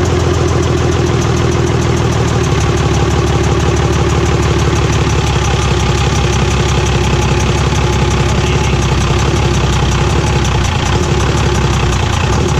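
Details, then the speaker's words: Cummins diesel truck just after P-pump swap: loud idle with rapid, even tapping from the open intake; harmless, caused by the missing intake manifold, and expected to go away once installed. "that loud noise you hear coming from the intake that sounds like maybe a knock or you know hiccup tapping noises from the just the way these luncheon sounds without an intake manifold on it so once we get that put on that'll all go away"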